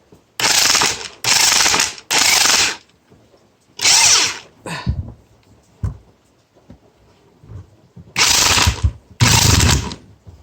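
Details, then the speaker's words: Porter Cable PCE211 7.5 A corded electric impact wrench, 450 ft-lb, run with no load: short bursts of fast, sharp hammering rattle between quiet gaps, spins up quickly, impact mechanism engages cleanly; normal, healthy. "So yeah, that's what it kind of sounds like. Sounds like an impact driver. But she can really spin up pretty fast."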